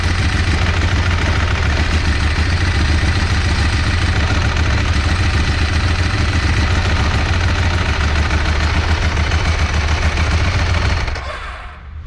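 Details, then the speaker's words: Sport motorcycle with very oversquare L-twin engine and dry clutch at idle: steady deep idle with loose metallic rattle, changing when the clutch is pulled; normal dry-clutch chatter, not a fault. "se l2 aqui é o motorzão quadrado né super quadrado ele já é um pouco barulhento e foi embreagem seca fica mais ainda"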